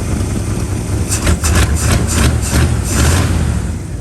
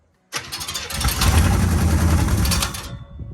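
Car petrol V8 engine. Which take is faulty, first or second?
second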